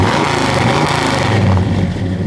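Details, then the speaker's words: 1969 Chevelle Malibu, freshly built 454 big block V8 (bored, flat-top pistons, Comp cam), 4-speed, revved after restart: deep strong rumble with crisp, even throttle blips. Healthy V8 revving. "Listen to that sound. We rev it up a little bit, Jay."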